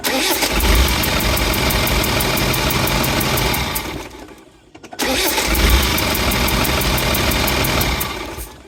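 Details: Land Rover 300Tdi diesel at idle: sharp regular chuffing tick about four per second following engine speed; suspected compression leak rather than exhaust leak, not confirmed.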